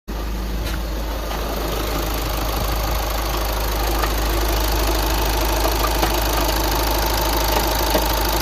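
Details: 2009 VW Tiguan 5N at idle with a repeating, fairly regular knock about two to three per second over the running engine; engine knocking, source unclear.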